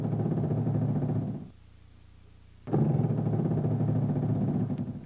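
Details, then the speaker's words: Hydraulic (HPS) power steering turned lock to lock at idle or low rpm: two spells of a low honking groan with vibration felt in the wheel. Shudder, possibly from pressure hose restrictions or low hose expansion, unconfirmed. "o Tremor é uma vibração notada no volante acompanhado de um ruído semelhante ao grasnando quando se esterça de batente a batente com o motor trabalhando a baixas rotações ou marcha lenta"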